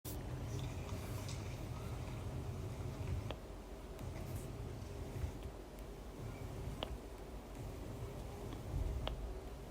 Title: cracking / popping sound of new 16 inch MBP